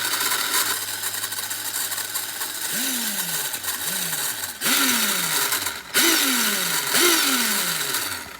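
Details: Traxxas Stampede-type electric RC truck on short throttle bursts, each whine falling under a harsh gritty grinding rattle, caused by a bent rod running into the gearbox.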